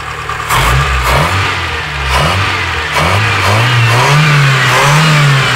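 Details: Mitsubishi 4G13 engine: repeated rev blips with a rough, uneven knock on the revs; owner suspects a valve clearance problem, unconfirmed.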